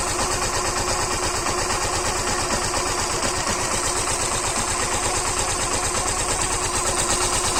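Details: Suzuki Gixxer BS6 fuel-injected single after tappet clearance adjustment for engine noise: quick even idle putter, steady beat, no ticking or clatter; normal idle.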